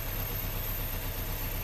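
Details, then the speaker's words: Chevy/Opel Corsa four-injector petrol engine at idle, unstable with vibration; unplugging injector 1 causes no change, unplugging injector 2 roughens it more, so injector 1 or its harness is faulty, giving a slightly lumpy misfire rumble. "Ah se escuchó ya vibra más hizo un cambio se oye"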